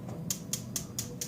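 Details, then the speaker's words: Weber Spirit E310/E320 grill electronic igniter, wired from the igniter switch with a AA battery installed: sharp, even snapping clicks about four per second, showing it is installed and sparking correctly. "from the little igniter switch and then we're going to install the double A battery which goes right here mine came with the battery hopefully yours does too and we should get a nice clicking"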